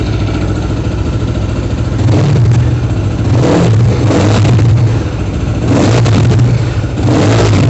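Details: Kovi Pro KT, zs177mm single-cylinder, after a new timing chain: it settles at idle, then several even revs rise and fall with no rattle or knock, a healthy timing chain.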